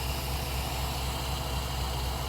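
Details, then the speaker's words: Ford Bronco V8 at cold idle after plugging the coil back in, IAC at 225 steps against a target of 3–10: steady low rumble with a faint airy sucking hiss as the idle air control motor slows, idle still a little lazy. "That sucking sound that some of you in the comments are just gonna say, well, that's a Ford sucking."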